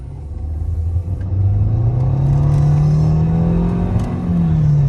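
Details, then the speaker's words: 2013 Nissan Altima accelerating hard: low drone climbing in pitch with a thin whine from the transmission; owner attributes it to low fluid, bucking problem not yet recreated. "Can you hear how it does that, like the little whiny noise? It is low on fluid, and that is the reason that it's actually doing that."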